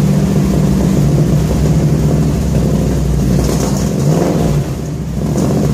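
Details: 1966 Ford F100 V8 on points ignition, truck just acquired, first start: deep even burble rising smoothly with throttle blips, no leaks or rattles; exhaust sounds good.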